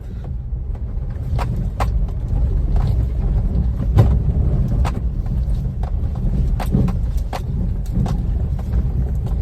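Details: Maruti Wagon R with about 160,000 km, driven over a rough road patch: low road rumble with scattered sharp clicks and tinny rattles over bumps, at no fixed rate; loose trim or body rattling.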